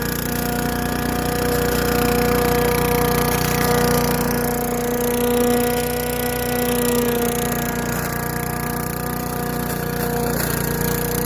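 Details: Craftsman Eager 1 4hp chipper vac (987.799790), vacuuming long wet grass with bag fitted: steady even hum with fan whine, no misfires or surging. Normal running under load.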